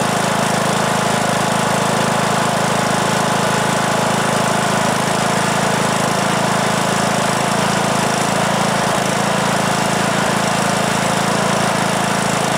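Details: 2003 Simplicity Regent lawn tractor, Briggs & Stratton single-cylinder, stored for years, after new ignition coil and carburetor; steady chug at even fast idle, no knocks or misses, runs smoothly though blowing a lot of smoke.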